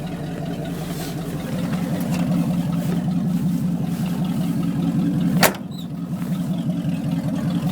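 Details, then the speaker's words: 1979 Chevy 350 V8, first cold start after years unstarted in winter, temperature still cold: a deep, even burble holding a steady low beat with no misses or knocks; normal warm-up idle. "temp still pretty cold let's turn it on hot fan doesn't work idle's nice though"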